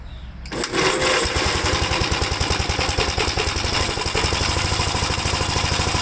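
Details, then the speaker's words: 1957 Gravely single-cylinder tractor on a smaller 12-volt battery that had sat after a load test, choked and started: brief crank, then a steady, even chug about three to four beats a second; normal running. "okay so after the battery sat for a while I know we load tested it it still had enough juice to start it up"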